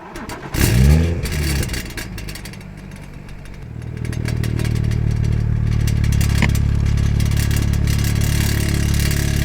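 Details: BMW before fixing exhaust rattle: engine revs then settles into deep idle with a light metallic rattle over the exhaust rumble; fixed by replacing the exhaust fixing bow (part 18307620323).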